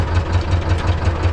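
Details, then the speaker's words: T-16MG tractor with D-21 diesel after clutch centering and adjustment: low, steady idle with even knock about five times a second; small rattle when engaging gear immediately instead of lowering speed first. "it turns out if we immediately turn on then maybe a small rattle, see"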